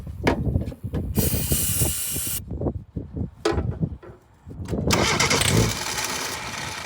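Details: 1988 Suzuki Samurai, carbureted: several short, uneven cranking bursts with hissy spray and pauses between them; the engine never settles into a steady run.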